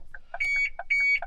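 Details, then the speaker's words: 2006 Ford Focus MK2, car locked from inside with the driver in it before remote key programming, setting off the alarm: loud, rapid high-pitched chirps repeating in a steady pattern. "set the alarm off now, and that's because I've just locked the car with me in it."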